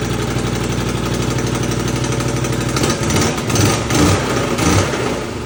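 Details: 2020 Can-Am Outlander 570 V-twin after new piston rings, gaskets and swapped ignition wires that fixed wrong-timed spark; even thump at idle with throttle blips picking up and dropping back cleanly: normal idle.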